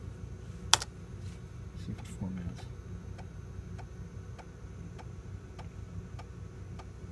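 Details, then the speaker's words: Macintosh PowerBook 165 with its original internal hard drive, during boot after an LCD capacitor repair: after a few clicks, a faint regular tick roughly every 0.6 seconds over a quiet background; the hard drive is ticking abnormally. "drive does kinda sound like a thick cow I wonder if letting it run for a little while might"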